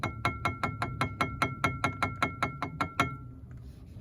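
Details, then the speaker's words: Mercedes W123 brake pads rattling despite new spring repair kit: sharp metallic clicks about five per second with bright ringing, pads spread but large caliper gap lets them ring; owner suspects non-original retaining rings/heat shields lacking the bent tab. "колодки разведены но это как бы ярко выраженный такой звон идёт потому что зазор большой"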